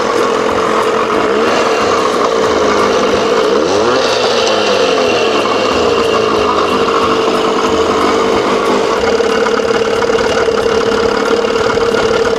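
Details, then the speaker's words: 1987 Johnson 6 hp two-stroke outboard after a smaller jet fitted, mixture screw 1.5 turns out, primer pumped. Starts and idles with a steady, even buzz, no misses or knocks, pitch level; runs cleanly. "Woohoo! Boy, she sounds good."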